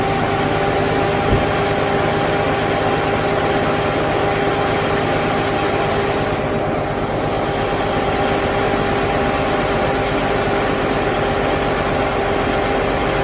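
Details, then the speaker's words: Chrysler Sebring 2.7L V6 after blown head gasket repair, intake and valve cover reinstalled, idling: metal-on-metal noise gone, slightly rough idle after sitting 2.5 years. "Okay, that noise, metal on metal noise, is completely gone. Praise the Lord. She is running a little rough, but it's been sitting here for 2.5 years wide open."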